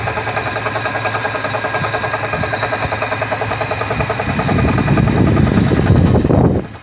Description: Lets see how long this engine can last. From a cold start, it makes this noise at idle.